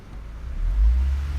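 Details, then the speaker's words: 2009 Honda Civic 1.8 at idle: deep throbbing low rumble that swells and shakes through the body. It sounds like exhaust but comes from a failed engine mount passing vibration into the car; the mount is to be replaced. "unpleasant one. It kind of sounds like exhaust, but then we have this. I'm gonna try to put on dashboard so you can feel the vibration. Okay, so the problem is engine mount, so we're gonna quickly replace it and it should be good."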